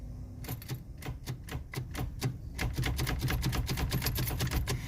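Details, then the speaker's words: Pontiac Fiero, weak recharged battery: rapid uneven clicking about three a second, engine never turns over; owner suspects not enough battery charge, or starter fried; unconfirmed. "There is not enough juice to turn over the starter. That or the starter's just fried."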